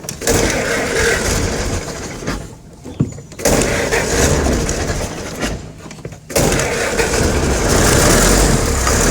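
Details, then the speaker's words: Ford Model T truck started after fitting a new cylinder head (the old one leaked water): it catches and settles into a loose, ticking idle with brief dropouts, which are blamed on the gas supply cutting off. It runs and no longer leaks. "up there we go and the engine isn't leaking anymore"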